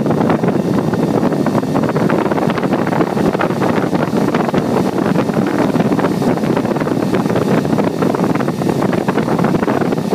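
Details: Four Delta AFC0912DE 9 cm 6000 RPM fans running together: loud, steady rush of air with no ticking, rattling or wavering; normal high-speed operation.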